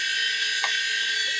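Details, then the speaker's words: Failed old SCSI hard drive at power-up: loud steady high-pitched roar like a jet engine winding up, rumbling as if flying apart, no clean spindle tone; drive already tested bad, long gone. "I don't know if you could hear that but it it's rumbling I mean it sounds like things are flying apart here but yeah this particular drive just sounds crazy loud long gone"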